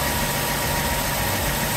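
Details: BMW with cold-start problems, idling after VANOS camshaft actuators were cleaned and refitted, no fault codes apart from the disconnected oil pressure sensor: steady, even idle with a smooth hum and no knocks, misses or rattles; engine running healthy.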